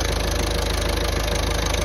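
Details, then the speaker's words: Ford Transit Connect 1.5 TDCi diesel, first run after a head rebuild following timing belt failure, before the road test: steady, even idle with regular firing pulses and no knock, miss, rattle or leaks; normal diesel idle. "looking good it sounds good as well"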